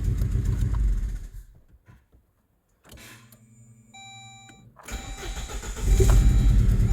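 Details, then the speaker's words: Saab 9-3 Aero with a compression problem, restarted hot after ATF soak of the cylinders and steam cleaning: catches quickly, even idle with no missing beat, now seems to have compression on all four and almost no smoke. "that's interesting now it sounds like as a compression all four alright let me try connecting back that injector"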